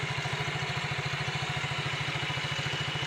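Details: Yamaha Mio GT scooter after the play between the bearing and the roller housing was shimmed with a zinc plate: an even, steady idle thump at a constant beat with no belt-drive rattle. The knocking is gone and idle is normal.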